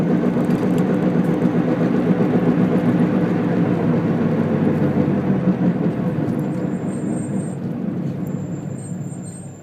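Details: Car driving on the road: steady low droning "go-go-go" hum under the road noise, most noticeable while decelerating; wheel hub bearing noise.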